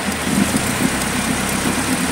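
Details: Suzuki Carry 1.0 (ST1000, carbureted) that starts hard, lacks power and uses too much fuel: lumpy, stumbling idle with uneven beats under heavy rain hiss; misfiring, ignition being checked plug by plug.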